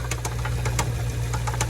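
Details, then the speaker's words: Jeep V8 with owner-suspected worn camshaft, losing power: idling with a steady low drone and sharp irregular knocks about four to five times a second, louder as revs rise; owner assumes camshaft knock. "see it's like losing power it's time to get that replaced but it sounds really bad it gets louder as you get up here"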